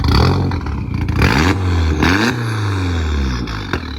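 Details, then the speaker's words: MKIV VW Jetta GLI VR6 with aftermarket exhaust, free revving: quick throttle blips, pitch sweeping up and falling back cleanly, raspy exhaust, no knocks or misses; healthy engine. "That's what a healthy GLI sounds like."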